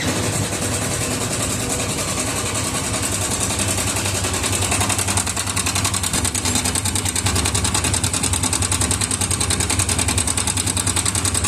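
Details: Yamaha FZS V2 single-cylinder at idle: fast metallic rattle over the beat from the timing chain and tensioner, which are to be replaced; loose timing chain suspected, not confirmed.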